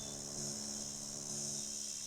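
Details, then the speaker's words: Old Sony music system with added USB/Bluetooth/FM module fed at 10 V: steady low mains hum with thin hiss, unchanging, before an earth wire is connected; ground-loop hum, cured by grounding the module. "झूं झूं की आवाज़ आ रही है। अभी देखिए, देखते हैं कितना फ़र्क पड़ता है अर्थिंग लगाने से।"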